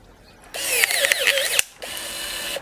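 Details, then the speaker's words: Battery pruner cutting fairly soft wood slightly over its rated maximum: high motor whine sags and wavers about a second, then runs lighter; struggling at maximum capacity but still cutting through. "She's struggling. As you can see, it's right on the maximum capacity, but it is still doing it."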